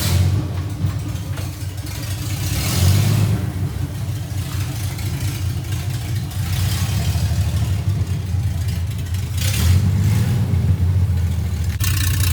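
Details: First test drive of 1982 FJ45 pickup with freshly rebuilt 1977 Toyota 2F and H55F 5-speed: engine pulls cleanly through rising and falling revs, smooth gear changes, no whine, clunk or grind; goes through gears fine; normal.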